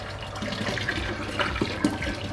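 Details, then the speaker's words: KegLand BrewZilla Gen 4 35L brewing system, cleaning with sanitizer before first brew: pump recirculating to rinse around the outside, steady water rushing and splashing over a low even hum. "This is why I wanted to recircle on, just to rinse around the outside."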